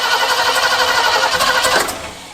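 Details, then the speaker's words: Mid-1970s Ford Ranchero that has sat in a shed since about 2019, first crank attempt on a 5-year-old battery: starter cranks hard with only weak, random firing that never catches; fuel delivery doubted, hard start. "It's trying, but it sounds a sad ignition or something. Try it again. H. That's really weird how it's hitting really randomly."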